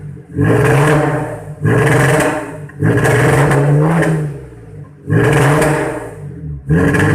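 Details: Audi TT: the engine revs in repeated rough, stumbling bursts. VCDS read fuel pressure around 2.5 bar against a required minimum of 3.5 bar, pointing to a worn fuel pump or low pressure. Misfire from fuel starvation.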